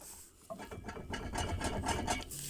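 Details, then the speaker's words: VAZ 2106 driveshaft giving quick rattling knocks with a metallic ringing, caused by a loose gearbox output flange. The fix is to replace the flange, ideally along with the gearbox seal. "Если у тебя такой же стукали звон, то с огромной вероятностью у тебя одному из фланцев. В моём случае это флане КПП."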